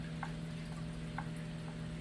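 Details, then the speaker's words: Repaired second-hand 1982 Ashford Traditional spinning wheel spinning for the first time in a long while: light regular knock about twice a second, once per treadle stroke, over a quiet hum; owner suspects it comes from somewhere low in the bottom, unconfirmed. "It qualifies as a good solid wheel for students despite the knock knock. I may explore a little bit more, figure out it's from the bottom. The knock knock is from the bottom somewhere."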